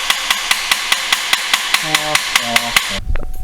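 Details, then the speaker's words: Chevrolet Impala after a head gasket rebuild, with a battery that went dead from sitting too long despite charging. Rapid starter solenoid clicking at about five per second, no crank; it needs a new battery. "right so apparently it needs a new battery um I was afraid of that this battery basically went completely dead because it sat too long"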